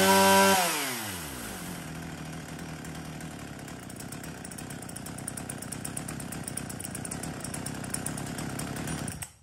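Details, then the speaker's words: Swedish-made Husqvarna 39 two-stroke chainsaw test run: revs high, drops cleanly to a steady, crisp idle without stumbling or surging; runs strong, very smooth and healthy. "Tiếng máy móc nổ thì vẫn còn kinh khủng luôn các bác nhá. Con này xài thì cực kỳ sướng luôn. Nổ rất là bon."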